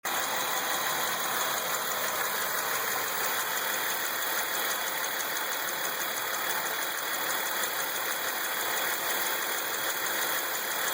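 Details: Ecotec 3800 3.8 V6 in a 2003 Lumina at idle: a fine, fast top-end ticking over a steady hiss and whirr, origin unknown; some other noises possibly come from the alternator.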